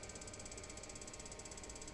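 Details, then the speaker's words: Gas boiler/heater with Thermowatt controller board: igniter spark keeps ticking steadily with no flame sensed, shuts off after about five seconds; broken transistor amplifying the ionisation flame-sensor signal, replaced to fix. "if you hear that this spark keeps going it's because it has a detection problem so it continues giving a spark but it doesn't sense that there is a flame"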